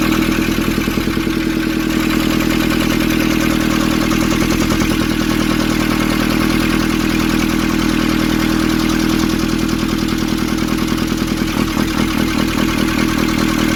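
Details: Nissan Urvan ZD30 diesel after its no-start was fixed by cleaning a black, dirt-clogged part: steady, even idle with a smooth regular beat of about 150 per minute and no knock or misfire; the engine runs clean.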